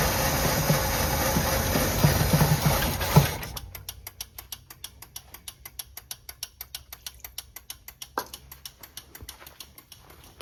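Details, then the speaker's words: Old Chevrolet Monte Carlo parked 20 years, fed gasoline down the carburetor, varnished old fuel; catches and runs rough about three seconds then dies, faint ticking remains; owner suspects bad fuel pump or clogged fuel line, not pulling gas. "Engine's idling. That's good."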